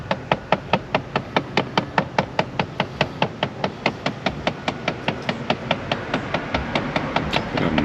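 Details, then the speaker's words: Chrysler 300: rapid, steady clicking knock from behind the dashboard, about two or three a second, suspected blend door actuator motor; knocking inside dashboard. "in there I thought I had mice playing the drums or something sounds like a blend door motor"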